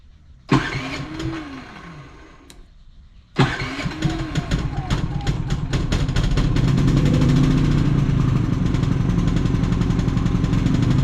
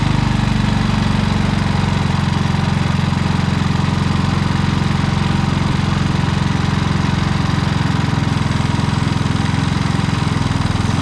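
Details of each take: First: Predator generator with many hours, surging after running a week straight and running out of gas: it pull-starts, dies, restarts and runs unevenly with a ragged, wavering, misfiring beat. It gets worse under load. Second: Predator generator with many hours that began surging after a week of running and running out of gas; after adjusting the idle limit screw it holds a steady even speed, no surging.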